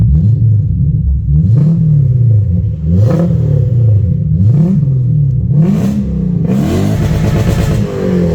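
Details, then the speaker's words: Toyota Soarer 1UZ-FE 4.0-litre V8 after an X-pipe and louvered-core resonators were added to the Black Widow mufflers: repeated revs bouncing off the rev limiter with a hard stutter, full and clean with no leaks. Normal exhaust at the limiter. "whee! That sounds tough. That's this video done and dusted. Finally the exhaust sounds how it should."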